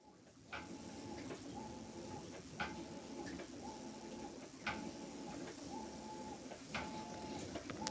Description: My brand new Maytag (MVWB835DW) is making a popping noise/squealing during the wash cycle.